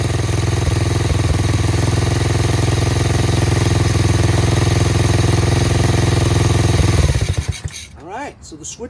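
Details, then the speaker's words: Tao Tao 125cc ATV quad after a new carburetor, ignition switch, stator and pickup, safety switches bypassed, idle screw turned in half a turn. It idles steadily on its own, quiet with an even beat, then is shut off with the new switch and dies away cleanly. Healthy. "awesome how about it fellas running on its own dude it's quiet huh really quiet sounds great"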